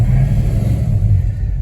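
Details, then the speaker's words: 1973 Mustang Mach 1 with a Holley 750 CFM 4-barrel carburetor and non-stock lopey cam, still cold, choke fully off, idling around 570–580 rpm in neutral: deep V8 rumble revs up smoothly with no rich misfire stumble. "I think the choke is off completely by now, and so I'm getting a smooth uptick on the engine as I rev it."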